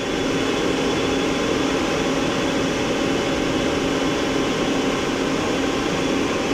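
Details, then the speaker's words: 2008 Mori Seiki SL-403CMC CNC turning centre with live milling, spindle running at 950 rpm (max 1500): steady, smooth whir with faint even hum, no knocks, grinding or surging; normal. "that's 800 rpm the max speed on this is 1500"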